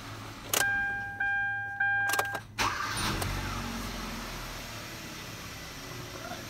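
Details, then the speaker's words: 2014 Kia Rio 1.6 after crankshaft position sensor replacement: chime tones, a short crank, then it catches at once and settles into a quiet, even idle, starting much better with a good crank signal and a working RPM gauge. "definitely starts a whole lot better RPM gauge is definitely working all right you see we have a nice good signal"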